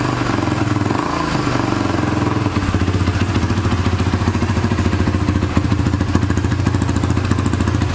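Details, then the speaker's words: 2006 Honda TRX300EX quad, cold start after exhaust stud repair and starter one-way bearing work: single-cylinder thumping at about three and a half beats a second, slightly lumpy from the cold but even; healthy idle. "Whoa, guess she's a little cold. Sounds good."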